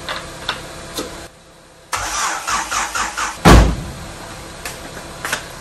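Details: Honda Civic EK with swapped D16A engine, after correcting swapped O2 sensor plugs: the starter cranks with an even chug for over a second but it never catches. Cold compression is even at about 110 psi; worn distributor internals kill the spark.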